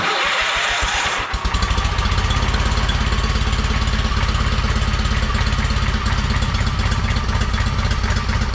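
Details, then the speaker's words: John Deere 317 lawn tractor after engine reinstall, just started, choke off, air cleaner not yet fitted: slow loping idle about three thumps a second; idle speed needs increasing. "so i took the choke off so it runs i definitely think we got to increase the speed here"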